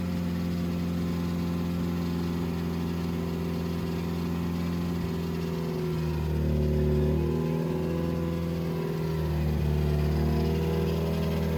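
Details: 2007 Subaru WRX with STi engine swap, first official startup after install, run around 2500–3000 rpm for about 15 minutes to break in; even, steady fast-idle drone with small smooth rises and falls, no knocks or misfires, healthy.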